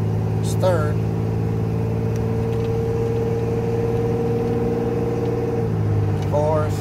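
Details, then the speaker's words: 1987 Chevrolet Celebrity Eurosport 2.8 V6 after vacuum modulator replacement, automatic shifting into fourth and overdrive around 45 mph: steady drone, then a clean, quick pitch drop as it upshifts smoothly. "fourth and overdrive right at 45 miles an hour"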